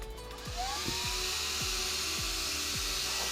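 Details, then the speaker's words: Arrma Felony 6S RC car, new 30 mm Power Hobby fan on the ESC under stock shroud, run on a 3S pack; loud, steady high-pitched air rush with even motor hum, no ticking or wobble. Normal cooling fan operation, better than stock. "So that's a lot better than this stock one here. That's gonna definitely keep that ESC cool, a lot cooler than it was."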